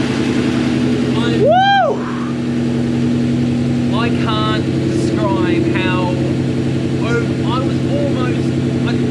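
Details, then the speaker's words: Supercharged S62 E39 BMW M5, first start after rod bearing replacement, run briefly to check oil pressure: steady, even idle with smooth low hum, no knocking or ticking; oil pressure comes up, sounds fine; normal idle. "i'll shout out if i hear anything funny a new shout out well just turn the car off [Music] you got all pressure thank god for that sounds fine"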